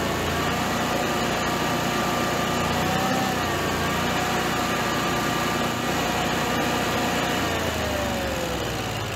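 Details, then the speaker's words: Generac-built Honeywell standby generator after an overspeed shutdown: the loose governor servo screw was Loctited and the servo readjusted with room to go slower or faster; steady, level engine hum, no hunting or surging; normal governed run. "it's working perfect now so i adjusted that up and gave it a little more room there so it can go slower or faster it kind of has room"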